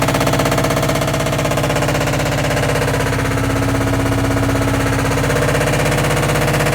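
Loud, fast, even hammering at about three beats a second while the drum spins; a heavy mechanical pounding whose source is unknown.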